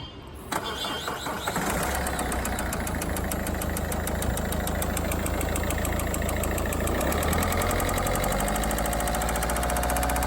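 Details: Peugeot/Citroën 1.6 HDi diesel starting and idling: a steady rhythmic knock of about four per second riding over the clatter, from worn-out connecting rod bearings.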